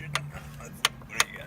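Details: Loose connecting rod rocked by hand on cylinder number one: sharp metallic clacks from bearing play, while the other rods are solid; rod knock from a loose connecting rod bearing.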